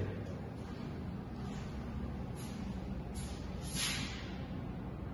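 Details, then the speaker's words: O General 3.75-ton ducted split AC, four fan speeds, turned down from full to medium, supplying a bathroom: soft, even airflow hiss over low fan hum, quieter, no rattles or surging; normal, likened to an exhaust fan. "حاليا شغال المكيف على الفل سبيد وبيقدر الكستمر يخفف طبعا السرعه عنده اربع سرعات هي على الميديم طبعا على ميديوم بخف صوت الهواء وايضا بخف"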